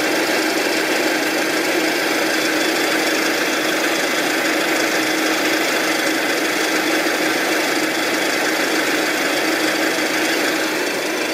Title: RAWLING ENGINE NOISE 2